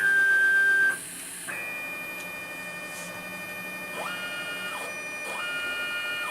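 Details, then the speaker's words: Homemade JGRO CNC router, Y axis after upgrading from 80 oz stepper to bigger motor, tuned in Mach3 to 39 in/min velocity: whining tones rise and fall as axis jogs smoothly without stalling, bigger motor noticeably noisier; normal stepper jog. "that bigger motor is quite a bit noisier isn't it"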